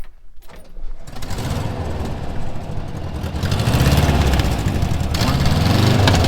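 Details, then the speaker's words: 1976/1978 Volkswagen camper bus after over 20 years stored, first test drive after fuel system fixed and choke turned off: engine catches after a second, settles to even idle and revs smoothly; running much better, normal. "First test drive with it running a whole lot better than it was."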